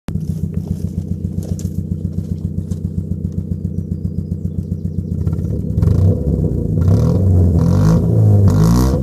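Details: Mk4 Ford Fiesta with muffler delete: loud open exhaust idles with an uneven puff roughly every quarter second, roughening further on revving; sounds like a misfire.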